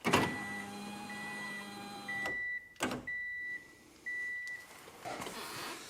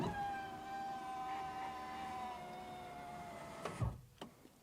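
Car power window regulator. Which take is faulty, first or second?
first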